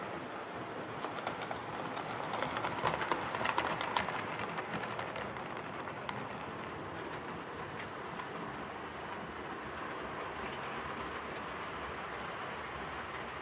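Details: Hornby R2553 Princess Coronation Class "City of Bristol" model locomotive after repair of mangled rods and noise issues: light, even whirring with soft rail clicks at a steady pace, no stutter or grinding; normal running.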